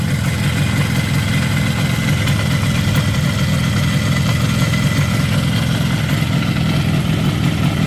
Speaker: Но робить стабільно, як Харлей. І слухайте звук. Даже чуть як поршні ходять. Тихо. Вібрації ніякої немає.